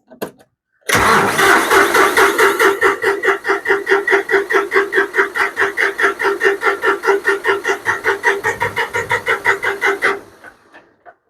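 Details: John Deere 5055D diesel tractor after fuel tank sludge cleaning and priming attempt, battery run down: steady rhythmic cranking about 2.5 strokes per second for nine seconds, never firing; cranks but no start, air in line suspected.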